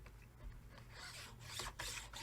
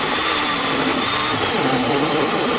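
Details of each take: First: Minleaf ML-MS1 mini portable table saw: gritty metal rasping in uneven strokes as the miter guide slides across the rough, unfinished table plate, which could wear the metal over time. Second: Minleaf ML-MS1 mini portable table saw cutting plywood, measured around 75–76 dB: loud, steady high whir while cutting, then quiet between cuts; smooth, normal cutting operation.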